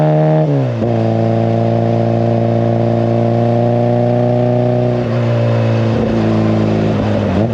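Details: Classic Mini, 1330cc A-series engine, carbs balanced, timing about 12–15° BTDC: holding high revs with clean steady tone and brief dips, pulling crisply, no stumble; healthy, well-tuned.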